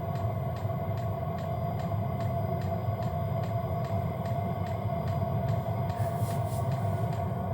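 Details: Hcalory diesel heater on gear mode setting 3, high-plateau setting, 13 volts, 36°F ambient, body 230°F: steady rushing blower with a faint fuel pump tick about 2.5 per second. Running normally.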